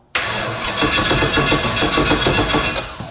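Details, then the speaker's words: Big block Chevy jet boat engine, first start attempt late at night with starting fluid: steady rhythmic cranking about three and a half beats a second, never fires; no spark because the dead man kill-switch lanyard wasn't installed. "Starting to think we don't have spark. This is why I can't be out in the shop by myself this late at night. We don't have spark because the dead man switch isn't in it."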